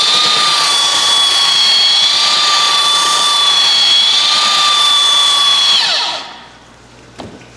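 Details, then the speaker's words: Roughly 65-year-old all-metal Craftsman belt sander, restored with grease, lubrication and a new adjusted belt, working a 2x6; steady high whine at even pitch under load, smooth wind-down at switch-off. Running healthy. "it look at that I am extremely impressed thing really works good for an old piece of Tu here"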